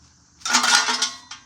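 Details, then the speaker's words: Small-block Chevrolet Camaro muffler being shaken: loose metallic clatter in short bursts as a baffle cracked off its weld tumbles inside; muffler needs replacing. "so if you can hear that rattling around in there one of the baffles has completely cracked off the Weld and it's kind of just floating around in there so"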